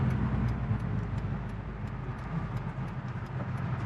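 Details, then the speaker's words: 2001 Honda S2000 AP1 with the original clutch at 32,000 miles: a low engine drone with a faint buzz when the throttle is lifted. This is clutch buzz from the original clutch, slightly improved but not cured after replacing the clutch master cylinder. "And I noticed, so since I have an AP1, I have clutch buzz. So when I let off the gas, you'll hear like kind of like a buzzing, which kind of gives the car character."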